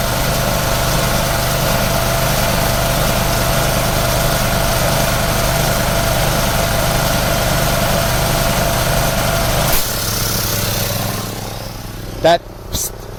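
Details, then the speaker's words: Air compressor used to blow out a sprinkler system for winterizing: steady motor drone for about ten seconds, then it abruptly shuts off as the tank reaches full pressure. Normal cut-out. "voice means noise means your pressure is built up and now i'm gonna release the other water i mean the air from the uh the boiler"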